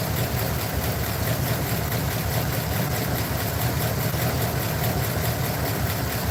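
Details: Truck at steady idle with a lumpy, uneven low thump, checked per cylinder with an inductive timing light. A side cylinder with a slow, laggy response is the suspected culprit, and its plug is to be pulled. Misfire at idle.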